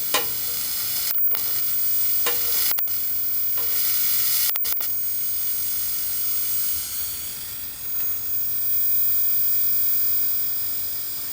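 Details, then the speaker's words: RCA CTC16 round-tube vintage TV with substitute flyback, after damper replacement: steady hissing sizzle with brief crackles and no hum as boost reaches about 600 volts; corona discharge off the flyback high voltage, a smell noticed, near arcing. "And I hear sizzling. .600 volts. Ooh, I smell it too. That thing's gonna getting ready to pop off an arc."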